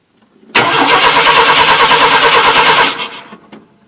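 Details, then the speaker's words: 1988 Chevy Silverado half-ton 2WD, towed in with a crank no-start: no reference signal to the ECM and no injector pulse, fuel sprayed in. It cranks steadily at about three turns a second and never fires. Ignition module or pickup failure suspected. "Well, it's likely got no spark either, so seems like the ignition module has failed inside there, or the pickup has failed inside there."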